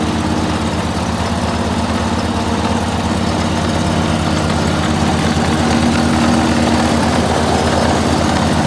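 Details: Dixie Chopper walk-behind zero-turn mower, sat all winter, after clutch repair (one loose wire at clutch connector fixed): steady even engine beat at fast idle, no misses or knocks; normal running.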